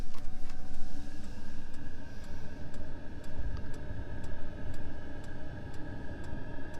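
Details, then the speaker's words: Espar D2 diesel heater in a Sprinter camper van, right after a new fuel filter fixed hard starting and white smoke: steady burner rumble with a crisp fuel pump tick about every 1.5 seconds; burning normally with heat coming out. "okay we got a good sound coming from the heater i can hear it burning down"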